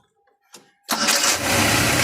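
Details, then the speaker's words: Van with standard original Hitachi carburetor, after distributor replacement (new plugs and coil didn't fix weak spark) and carburetor service, oil checked: brief crank then catches at once on first try into a strong, even run; clean normal start. "Start sekali dah padu. Sekarang kita nak dengar bunyi koyak."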